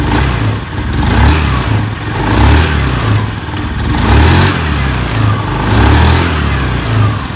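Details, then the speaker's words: Automatic scooter CVT after replacing and greasing the pulley bearing, which had creaked when throttled: engine revved in repeated blips, belt drive running smooth with no creaking or knocking; smooth CVT operation. "Nah, sudah halus."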